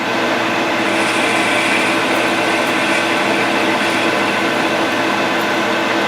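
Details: Grizzly G0776 lathe facing aluminum with a high speed steel tool bit: steady, even hiss of the cut over spindle hum with no chatter or squeal; clean, healthy facing pass.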